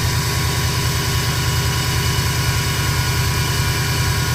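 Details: 2005 Subaru Impreza WRX at idle: steady thin whine over a deep low rumble; owner also hears turbo whistle when driving; whining source not pinned down.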